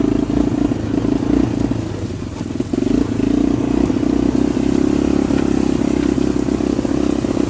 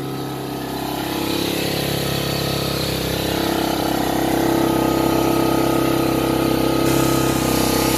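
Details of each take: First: 1985 Honda FourTrax TRX250 single-cylinder ATV just started on the kickstarter, high compression: fast, even thumping with a small rev dip, running cleanly with some pep; it tends to idle down until it stalls. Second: 1985 Honda Fourtrax TRX250 ATV, newly acquired, just started after a few kicks with carburetor jet work: revs up on its own and hangs high with a steady buzzing drone, won't idle properly; cause unconfirmed.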